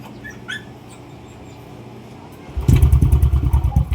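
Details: Yamaha NMAX 155 V2 scooter that would not run for three months after stalling (a shop blamed the ECU), started after CKP sensor wiring checks: fires and runs lumpy and uneven with wandering beats and no settled idle, from an idle air passage clogged with dirt.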